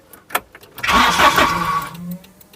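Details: Volvo 740 start after new in-tank fuel pump, repaired fuel pipe and full new exhaust; brief pump whir at key-on, then cranks, catches and settles to an even quiet idle, no longer blowing from the manifold. Healthy start after repair.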